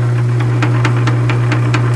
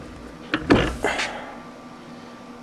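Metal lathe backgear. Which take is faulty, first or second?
first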